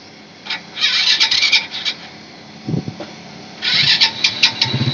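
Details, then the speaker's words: SYM RV1-2 motorcycle after fitting an SLV XRM 110 carburetor with a gas filter, carb already tuned: catches after a few crackly bursts, then idles fine and picks up cleanly on throttle without delay; carb quiet, no leaks. "okay naman yung yung idle niya. Okay naman yung accelerator."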